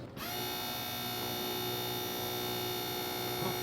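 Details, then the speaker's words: AWD 4-rotor car, all-wheel-drive controller being tested: the controller primes its hydraulic pumps, a small electric pump starting at once with a steady high whine and even buzz. Priming is normal, though the owner notes the system is out of oil. "I'll press this button and we should hear the all-wheel drive controller start priming the pumps."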